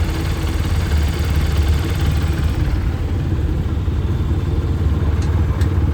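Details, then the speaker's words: TVS Apache 160 4V BS6 motorcycle at 45,679 after timing chain replacement: steady even low idle with no ticking or rattle, noise now silent; normal idle. "अब देखो गाड़ी start करते हैं य आवाज silent हो गई"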